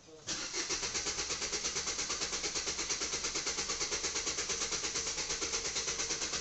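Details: Vitara Brezza diesel with long cranking before starting and engine noise: steady starter cranking about three beats a second drags without catching; slow hard start, timing chain and timing suspected.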